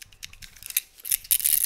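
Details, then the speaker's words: Removed supercharger pulley bearing from a Mercedes SL55 AMG M113K, shaken by hand: loose, gritty rattling bursts as the worn balls clatter; failed supercharger pulley bearing, to be replaced. "so we got my bearing out and listen to that bad girl definitely not a good sound so if you think you have a bad bearing or something up front of your supercharger check your bearing"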